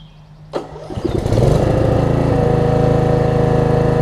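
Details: Snapper RER rear-engine rider after a replacement cylinder head and brand-new carburetor: electric starter cranks briefly, engine catches and settles into a steady, even idle with no knocks or misses; normal start and idle.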